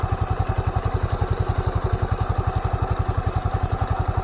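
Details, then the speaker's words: Scooter after DIY CVT cleaning and reassembly: even low putter at idle about four pulses a second, slight belt sound, no rattle or scrape; now quiet, normal idle. "So, yung mga paps goods na, so medyo lang pambelt nya. So, yung mga paps, so, tahimik na, ay goods"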